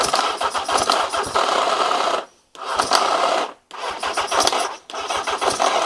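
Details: Carbureted engine, starter motor tested fine off a battery: four harsh one-second grinding bursts while cranking; starter grinding, owner suspects a chewed cog where the starter joins the engine.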